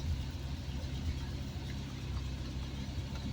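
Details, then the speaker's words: 1970s Triumph Spitfire started after sitting a couple of days, small four-cylinder at a steady, even, low idle with no knocks, misses or hunting; a healthy, good-running old car. "Yeah. Good running old car."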